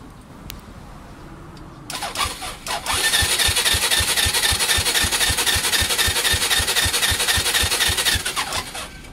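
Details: Honda Fusion MF02 scooter: starter spins steadily for about six seconds with even compression pulses about four per second, but never fires; cranks, no start.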